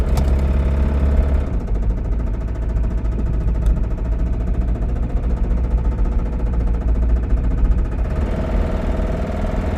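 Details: Toyota Camry running and idling: steady, heavy rhythmic knocking in time with the engine, deep rap suspected to be rod knock; not confirmed.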